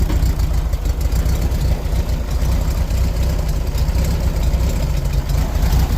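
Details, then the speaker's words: 1973 VW Beetle air-cooled engine in neutral after carb pumps: low, lumpy idle rising and sagging unevenly, misfiring; starts once, chugs, then dies and only cranks; owner plans new ignition parts and a carburetor rebuild. "As you can tell, it runs kind of like garbage."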